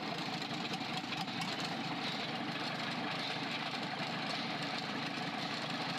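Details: Freshly overhauled 4TNE98 diesel on a temporary test stand, leak-test run: even idle with open-exhaust rattle and steady light valve ticking; smooth, regular, healthy.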